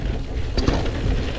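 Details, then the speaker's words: Electric mountain bike's SRAM NX drivetrain: loose, uneven chain and gear clatter while riding; owner plans to replace it with GX derailleur and cassette. "I'm gonna put I'm going to replace the NX drivetrain because that just rattles. I'm sure you hear it."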